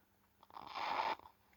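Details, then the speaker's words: Marshall valve guitar amp warming up after power-on: constant harsh crackling, fizzing noise while idling; cause unknown, nothing visibly wrong. "There you go. It makes that noise constantly."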